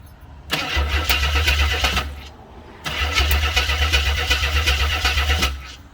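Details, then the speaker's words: 1983 AMC Concord Limited, 258 inline-six with carburetor, after reconnecting a possible missing trigger wire: two bursts of steady starter cranking about four turns a second with no firing; crank no start, not getting fuel, possible arcing heard. "Alright, what are the odds of that working so well? I thought I heard some arcing in here, but I don't really know."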